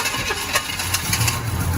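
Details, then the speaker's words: 1972 Chevy Cheyenne C20 after 16 years parked, on a jump box with gas poured in by hand: slow cranking turns into rough, uneven firing as the engine catches and settles toward idle, smoking. "Oh my God, it does run. It just started. It's cranking slow."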